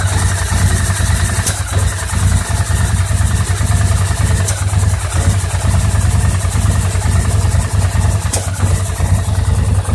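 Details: 2009 850 XP with an uneven, lumpy rough idle, occasional sharp pops, burping and backfiring, with a suspected miss; persists after a throttle cable adjustment and repair of mouse-chewed wiring.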